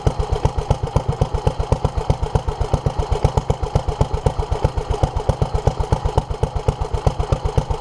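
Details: 1947 Petter A2 single-cylinder engine running after its Zenith 24T2 carburettor was stripped, ultrasonically cleaned and refitted and the fuel pipes replaced: slow, steady chuffing at about two beats per second, evenly running, though fuel still leaks from under the carburettor.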